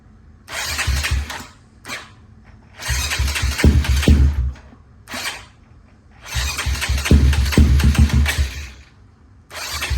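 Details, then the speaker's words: Big-bore Honda Grom single-cylinder after Dynojet Power Vision 3 flash, warming up with fast idle valve on: revs in bursts then sags, hunting and nearly dying as it drops to idle; air-fuel ratio reads real lean at idle. "so yeah it's going real lean when it idles down"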